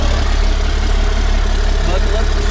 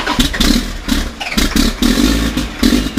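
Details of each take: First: 1991 Ford F350 with CAT 3126 diesel swap, after new oil pump install to cure hard starting: steady, even low diesel rumble at idle with smooth unbroken beat; healthy, settled normal idle. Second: 1991 Ford F350 with CAT 3126 diesel swap, before oil pump replacement: repeated cranking bursts about three turns a second, stopping and restarting without catching; hard start traced to failing oil pump.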